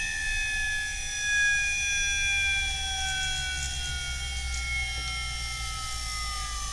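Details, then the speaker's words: Standard 50 Hz induction motor on a variable-speed drive at 200 V, stalled in the field-weakening region. As drive frequency is lowered, the high whine slides down in pitch and the motor suddenly reaccelerates toward synchronous speed as rotor reactance falls and torque rises. "Hear it slowly accelerating. Yep. And there it goes. That's the reactance in the rotor. It decreases, your torque increases and suddenly the motor accelerates back to synchronous speed"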